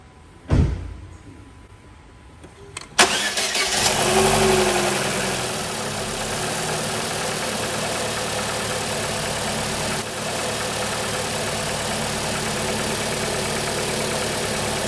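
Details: Holden (Chevy) Cruze 1.8 F18D4, first start after head gasket replacement (had coolant in oil, pressurised coolant, misfire), cold: short crank, quick catch, brief flare, then smooth, slightly fast idle with no misses or knocks; healthy.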